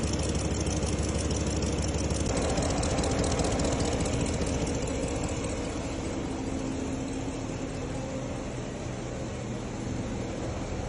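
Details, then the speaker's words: RAM Hemi V8 idles with a loud, sharp regular ticking from the driver's side, riding over the engine; exhaust leak from a cracked driver's-side downpipe to the catalytic converter. "Customer complaint loud ticking noise from the driver's side. How did the driver's side downpipe to the catalytic converter crack?"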